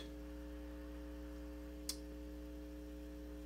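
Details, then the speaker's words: Silverface Fender Bandmaster, believed 1972, with customer noise complaint, taken out of standby: constant low hum with evenly stacked overtones and one brief click, measured about 60 Hz; faulty normal-channel input jacks diagnosed as likely cause. "and you're going to come up with about 60 hertz. So that's a 60 hertz hum."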